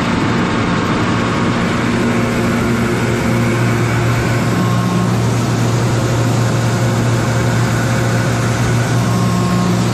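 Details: Kaeser DS200 150 HP air-cooled rotary screw compressor, 460 V three-phase, built 1990, 47,597 load and 56,834 run hours, with new oil and filter. It gives a smooth, constant low hum with even airflow noise and no knocking or grinding; works as it should.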